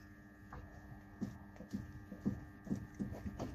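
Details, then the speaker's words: BMW E60 worn inner steering tie rod knocking: dull irregular metallic knocks, about two a second, as the loose rod is rocked forward and back by hand with the tie rod end removed; visible play. "jak stuka stuka drążek i też będzie widać tutaj będzie widać luz na tym drążku"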